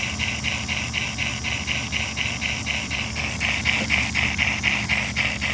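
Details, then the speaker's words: Model's smoke unit after adding a diode fix to the reverse-switch delay: rhythmic hissing chuffs about four per second over low motor hum; weak smoke output, owner suspects low oil or dropped voltage, not confirmed. "Maybe it's low on smoke. I don't know. I hadn't run it in a couple of days. Or maybe the voltage has dropped."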